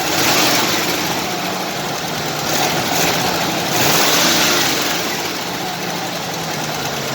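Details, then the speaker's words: 1968 Jeep Wagoneer with 1972 AMC 360 V8, started after sitting a year, muffler removed; idles evenly and revs smoothly with no knocks or misfires, slight clicking possibly an exhaust leak; running healthy. "the engine runs really really good like look how smooth it is i have it tuned just about right i think"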